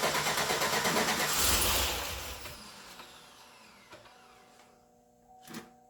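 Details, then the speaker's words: 2008 Suburban, first start attempt of a newly installed engine: steady starter chug about three beats a second winds down without firing; cranks, won't start. Suspected no fuel; fuel pump not upgraded, unsure if engaging. "Nothing? Nothing. I think it's just fuel. Actually, it's not getting fuel."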